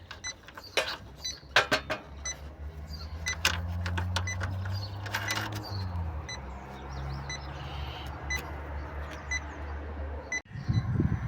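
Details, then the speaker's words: Heat pump, electronic refrigerant leak detector set to 5 g/year sensitivity passed over the opened service valve nut: steady beeping over the unit's hum, indicating a leak there. "Et je passe mon Ah bah là, je passe mon détecteur. Donc ici, on a une fuite."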